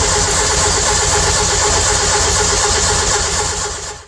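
Steady starter cranking at about four turns a second for four seconds with no firing at all, then it stops: cranks but won't start.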